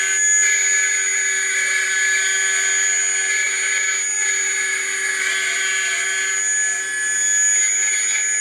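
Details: Atlas launcher gyro rotor powered with 115 V AC across terminals A and B with a 270 nF capacitor: steady piercing one-pitch whine with hissy rush; very noisy at full speed.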